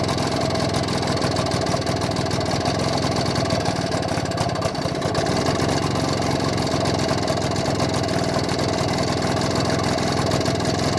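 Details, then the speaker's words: BSA D7 Bantam two-stroke under restoration, after checking the timing and fine-tweaking the carburettor: fairly even buzzy idle with no misses, running smoother though tick-over still slightly uneven. "foreign running a little bit smoother foreign ly running a bit smoother than it was"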